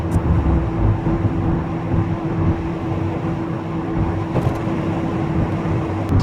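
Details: VW Golf Mk3 after wheel bearing replacement, driving on the road: even road rumble with no growl or rising whine, quieter than before; normal wheel bearing road noise.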